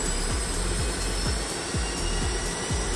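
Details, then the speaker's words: Rolls-Royce RB211 engine on Boeing 757-200 during compressor wash, motored on the starter without fuel; steady high whizz of the starter motor with low rumble as it rotates; normal starter motoring, two-minute maximum starter cycle. "that's for starter motor you can hear whizzing"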